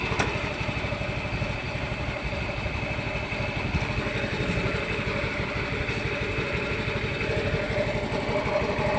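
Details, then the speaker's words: Yamaha Mio i 125 scooter that had engine knock from running low on oil, idling after repair with the pulley fitted: steady, even idle with a light patter and no knock. The clutch housing is slightly bent, so the wheel turns. "Inuno ko na siya. Medyo maayos na."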